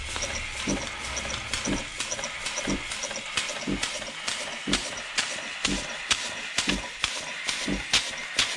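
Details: 1950s German engineering-students' steam engine on its first test run since then, fed steam from a DeLonghi coffee machine because its boiler has holes. Steady hissing chuffs at about two a second with a sharp exhaust puff each stroke; normal running.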